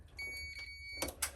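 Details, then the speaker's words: Air-conditioner cable continuity test: no beep to neutral on the disconnected black wires, but a steady high beep about a second when probed to earth; conductor shorted to the body/earth, suspected miswiring. "Ni. Dia shot dengan body. Dia dah shot dengan earth."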